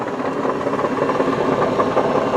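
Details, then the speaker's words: 2005 Ford Freestyle SEL wagon idling in park: steady rattly mid-pitched drone over a smooth idle, coming from the transmission, not the engine; it goes away in drive, cause unknown (possibly torque converter). "That noise is actually coming not from the engine, but from the transmission. And interestingly enough, when you put this car into drive, that noise goes away."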